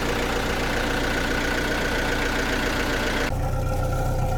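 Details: Perkins 4.108M four-cylinder 50 hp marine diesel, first start in six years after preheating glow plugs: even steady low idle chug, no knocks, misses or rattles; water in exhaust, no smoke, alternator charging; clean healthy idle.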